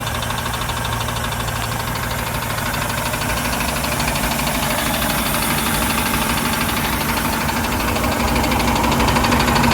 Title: 4.3 LX Mercruiser tapping / knocking sound rear of engine